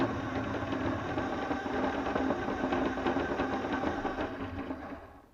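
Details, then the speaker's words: Blue RC Mini Cooper S model car driving after steering toe changes: light tapping about three knocks a second over the motor whine; owner suspects rear rocking makes front suspension hit bodywork or bottom out, or a bent rear right axle; unconfirmed. "Well, I've just spent another day working on this Blue Mini to try and find the cause of the knocking noise as it goes along."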